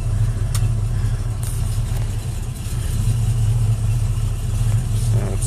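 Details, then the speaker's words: 1968 Ford Mustang rebuilt 302 V8, Edelbrock carb, full-length headers, 2 1/4" dual exhaust with H-pipe and Cherry Bomb Vortex mufflers, warmed up, idling about 500-600: deep even rumble through idle and light revs, no knocks or misses. Normal exhaust note. "it sounds great. Those mufflers."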